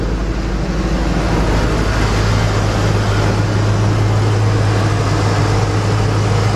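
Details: 2004 Lincoln Navigator 5.4 V8 idling outdoors with a low, slightly uneven hum that stumbles now and then; runs rough with a mild cylinder misfire but no check engine light, after owner replaced spark plugs; EGR disconnected.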